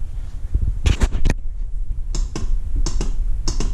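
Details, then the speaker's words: Honda Rancher ATV (stated as both a 2000 350 and a 2004 400) that won't crank: only dry clicks in short bunches as the solenoid engages, with no cranking; the battery reads 12.52 V, so the starter motor has failed and is replaced. "I can hear the um soord kicking in but nothing's going on so we're going to do some troubleshooting and see why this is not starting"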